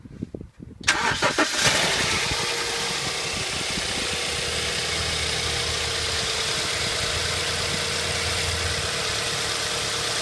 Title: BMW 318i e91 N43B20 strange engine sound?